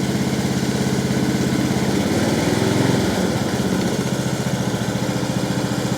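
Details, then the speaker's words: Husqvarna LT1538/LT1597 lawn tractor, replacement engine just started on quick-start fluid, with a muffler rebuilt to the owner's own design: steady, even low putter with regular firing, no knocks or rattles; soft, muted exhaust note, a healthy quiet run. "i can't believe how quiet it is actually um i mean that's that's the exhaust that we we rebuilt with our own design in it"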